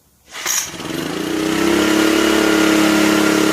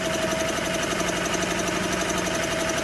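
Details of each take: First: 1984 Honda EM600 generator, refitted with the ignition coil properly grounded on its mount and restarted: it catches within a second and settles into a steady, even buzz with no misses or knocks. It starts easily and runs healthy. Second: 1984 Honda EM600 generator, bought not running and being revived: a small single-cylinder engine chugging steady but slow and soft. The engine speed adjustment is backed way off, giving only 41 AC volts, about 100 volts low.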